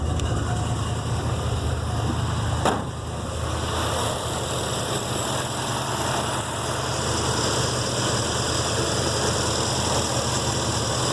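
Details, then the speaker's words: 1966 Mustang V8 on its first start after an MSD Atomic EFI install, idle target set to 775 RPM, on a warm day: a steady idle sitting noticeably high; the owner suspects the injectors are a little too far open, not confirmed. "And with just a hint of gas, it fired really, really well. And it's idling. I set the parameter at 775 RPM."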